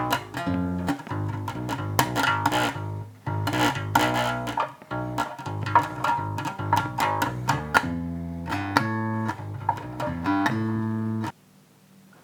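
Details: 2012 Japanese Fender Jazz Bass after a setup to cure fret buzz, with strings radiused and lowered. Plucked notes ring clean and even with no rattle; slight buzz is said to remain only when digging in.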